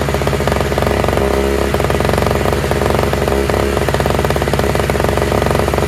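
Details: Toro/Craftsman single-stage two-stroke snowblower with electric start, running on fresh mixed gas after priming; fast crisp buzz at even speed without stumbling or surging; all it needed was gas.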